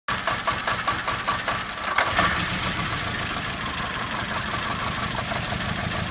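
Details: VW Beetle 2.0 petrol misfire, intermittently running on as few as one cylinder: lumpy idle with uneven, stumbling pulses for first couple of seconds, then a ragged hum; intermittent misfire at idle.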